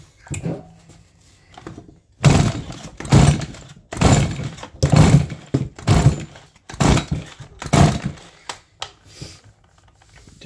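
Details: Stihl MS170 chainsaw, no-start complaint, choke on, spark present: about seven hard starter-cord pulls with no firing; tank out of fuel, saw later started once an external fuel source was supplied.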